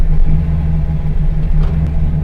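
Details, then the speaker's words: LS V8 truck after disabling torque-management spark retard. Brief stumble of about 10 seconds after restart, then normal; fine in Park, Reverse, Neutral and Drive, timing near 25 degrees, sounds far better. Steady, even rumble: normal idle. "we'll try it park or in Drive keep getting my gears and it sounded way better like he can it's right at 25 degrees every once in a while that pulls a tiny bit of timing but it sounds a hundred percent better"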